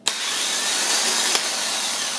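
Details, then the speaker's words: Starter removed from a 1996 Dodge Caravan, bench-tested by jumping the small solenoid post: sharp click as the solenoid throws the gear out, then smooth high whir of the motor spinning freely; starter works correctly (real fault later traced to a grounding issue). "The click is it popped out and it spun. Spun the gear, engaged it, and everything seems to be working correctly."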